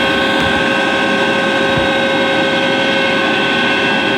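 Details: Atlas Copco GX11FF compressor: steady high-pitched whine at start-up and while running, holding over the even running roar with no pitch change; cause of the whine unknown.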